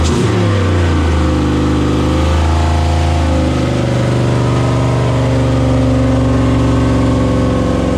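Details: 6.0 V8 CUCV first start, idle lowered to 650 rpm: it fires and settles into a fast, steady idle, still too high. Owner suspects an air or vacuum leak.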